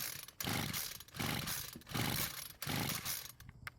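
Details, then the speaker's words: Homelite string trimmer with a pull start, fuel added straight into the carb with the air filter cover off: four rasping pull-start bursts with no firing or catch. It simply will not start, apparently flooded; spark check is next. "well I guess we know why they gave this trimmer away it simply will not start"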